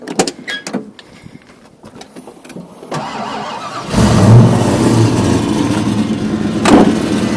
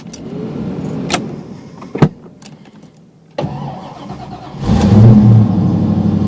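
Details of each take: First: 1986 Ford Mustang GT V8 with smog pump deleted: cranks and settles into a lumpy idle with a faint puffing tick from an exhaust leak that needs fixing; the power steering pump makes a little noise. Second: 1986 Mustang GT, fuel-injected daily driver, cold start at about 50 degrees outside: brief cranking, catches quickly and settles into a steady, even idle; clean, healthy cold start.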